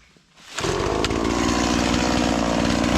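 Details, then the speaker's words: Stihl MS170 chainsaw cutting firewood, chain fairly used; holds a low, labouring buzz in the cut without climbing in pitch, bogging and slow to get through; cause not confirmed. "So, that right there was the MS17. Did you hear how it kind of dogged and how it took a little bit of time to go through there?"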